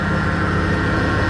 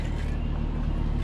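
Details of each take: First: 2003 Dodge Ram 1500 Hemi V8 at idle: steady high whine from under the hood, owner suspects a loose or played-out bearing, traced to a worn idler pulley bearing; noise present for two to three weeks. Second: 2003 Dodge Ram 1500 Hemi idling after the idler pulley was fixed and the belt reinstalled: a deep, steady rumble with the earlier whining, chimey bad-bearing noise gone.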